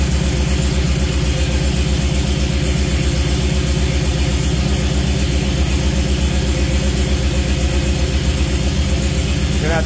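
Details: Jeep CJ5 with Holley Sniper EFI, first start of the engine: steady even low idle, regular beat about 2.5 per second, no knocks or misses; good voltage, but the gauges aren't reading.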